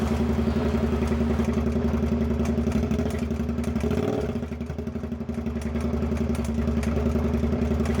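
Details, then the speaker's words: Suzuki SV650 idling after injector repair, plugs fine: uneven clattering knock about 220 a minute, something moving and crawling inside the engine; internal looseness suspected, likely crank or bearing, unconfirmed. "this basically is a clip of the bike running but you can tear where there is something you can hear moving around and crawling inside so"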